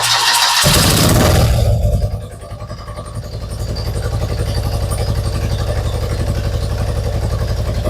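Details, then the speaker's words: Two-cylinder engine at idle; one carburetor shows no suction and one cylinder had lower compression. After a rough start it settles into a lumpy, uneven pulse as if running on 1.5 cylinders: misfire at idle, cause suspected, not confirmed. "Well, it sounds like it's running on 1.5 cylinders again."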